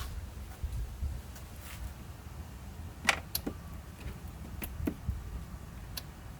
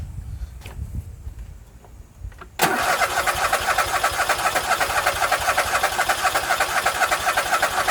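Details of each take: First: Husqvarna YTH24K48 riding mower with suspected fuel delivery problem, engine off: a handful of sharp, light clicks as the key is turned to first position; carburetor anti-backfire fuel solenoid working normally. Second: Husqvarna YTH24K48 lawn tractor cranks steadily about four turns a second for several seconds without firing; no-start suspected fuel delivery problem.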